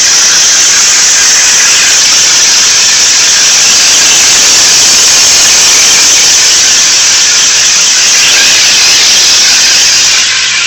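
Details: 1992 Nissan 300ZX: a loud, piercing high squeal in the engine bay holds steady regardless of revs, loudest at the front right; cause unknown.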